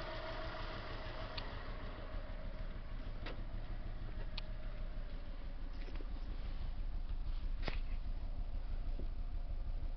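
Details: Subaru EJ22T engine with one dead cylinder: rough, lumpy, stumbling idle under about 750 rpm; unplugging cylinder 1 plug changes nothing.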